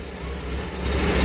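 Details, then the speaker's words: Engine with a 2234cc motor and single modified stock carburetor (no venturi), catalytic converter just installed after the muffler. Smooth even low rumble picking up slightly, quieter and more modern exhaust note, no popping or ticking; healthy, smells less. "Sounds kind of like a little more modern-ish on the exhaust note. It doesn't stink as bad anymore."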